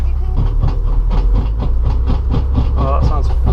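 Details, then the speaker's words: Toyota GT86 drift car with a boost leak, on the first lap at Teesside: the handbrake mechanism snapped and punched a hole through the rear disc guard, giving harsh rhythmic scraping about three times a second, tracking wheel speed, over low engine rumble. "sounds fucking horrible, man. Alright, so what seems to have happened is something snapped, made a hole through the back of the disc guard."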